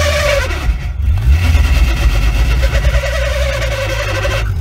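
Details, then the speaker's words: Nissan S14 manual transmission: a hideous high squeak over the revving engine, first blamed on the pilot bearing. An automatic-only spacer had been fitted, and the clutch was also found installed backwards. "this was making That Hideous squeaking noise in the transmission"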